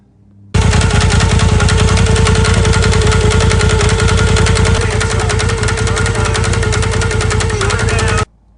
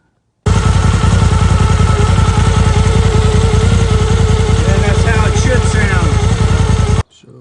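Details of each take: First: Polaris turbo at idle, before the fix: hard, rapid clacking three to four times a second from the spider bouncing in the primary clutch due to slop. Wedging a piece of wood in to take up the slop makes the noise go away. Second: Polaris turbo at idle with a wood stick wedged in the clutch spider gap to stop clacking: regular pulsing beat of about three per second with no sharp clacking; clutch running quiet, spider play confirmed as the clack source.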